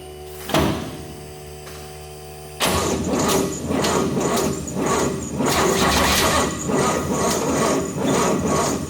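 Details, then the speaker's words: 60-year-old GMC military truck on jack stands, fuel pump on, cranking with problem starter; slow labouring churn about two beats a second, never catches; smoke seen at starter, battery suspected too weak, put on charger. "it seems like the battery doesn't have enough power"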